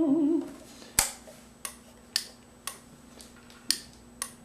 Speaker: hear that turning off off and on that's just the relay turning off and on so don't be alarmed if you hear a ticking sound